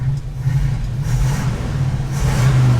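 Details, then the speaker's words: 1950s Chevy 3100 Apache pickup V8 on a road test after carb adjustment: deep rumble under light throttle with uneven surges and a slight stumble as it opens up; little off-idle hesitation, owner says something's wrong with the accelerator pump. "It's a little hesitation."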